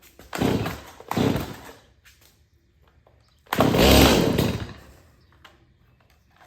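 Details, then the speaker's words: Stihl MS180 chainsaw, about four years old, unused for days: fires after a couple of pulls, revs up cleanly and drops back to idle without hesitation; a normal, healthy two-stroke start and run. "and I have it started in two or three days and it starts like that in the winter time"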